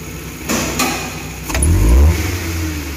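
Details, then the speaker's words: Futura 1.5 (1500) after throttle body cleaning, idle about 900 rpm: steady idle, quick throttle blips rise and drop cleanly with no stumble or shake; the plugs were the cause. "ini kita tes ya dia langsung tidak ada getarnya nih"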